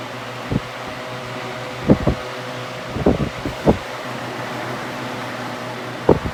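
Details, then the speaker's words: Mimar vintage fan circulator, unused for a year, cold start, back on high speed before a spin down: steady low motor hum with an even whoosh of air and a few handling knocks; runs strong on high, normal. "so anyway that's the mymar at least it still runs anyway we'll go back to high for a spin down"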